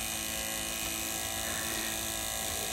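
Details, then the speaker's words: Lotus Elise fuel pump, repaired after a no-start and refitted, final test: steady, even high-pitched whir without stutter or surging; pump works again and delivers well, normal operation. "elle remarche nickel cette pompe elle remarche nickel ce qui s'appelle revenir de très très loin allez dernier petit essai pour le plaisir ça débite"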